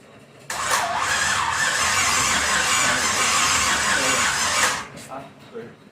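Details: Pontiac 350 V8 in a 1950 Pontiac gasser with 6-speed, first fire-up with headers on, some fuel in the bowl: steady starter whirring about four seconds, never catches; cranks but won't fire, distributor timing 180 degrees out, battery needing a charge.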